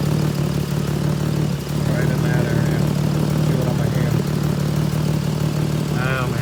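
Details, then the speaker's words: 2007 Pontiac G6 in the shop: steady idle with a faint uneven puffing tick; a cracked exhaust near the replaced donut is found as the cause of the squeal heard when accelerating. "Oh man, it's probably the sound. Or here. Cracks. That's the problem."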